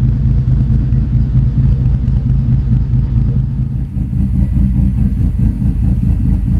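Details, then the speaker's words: After setting base timing on a Link Fury ECU, idle deliberately tuned lumpy via timing: deep, loping idle with an uneven chop in the low rumble, a deliberately rough cam-style lope with nothing knocking. "I'm going to adjust your item to get it a little bit lumpy again"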